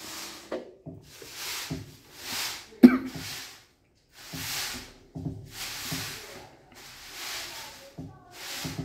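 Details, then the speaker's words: Panasonic washing machine with H02 fault, powered on without pressing start: irregular hollow clunks and swishing as the motor twitches and jerks the pulsator, a motor drive fault; loud clunking on badly affected units. "thì các bạn để ý là khi cái máy nó mắc cái bệnh này á thì chúng ta sẽ nghe tiếng nữ cứ lục cà lục cục chúng ta không bấ nút khởi động như Tuy nhiên ở phía dưới chúng ta cứ nghe thấy tiếng lục cục và các bạn để ý là cái bơm giặt nó sẽ động"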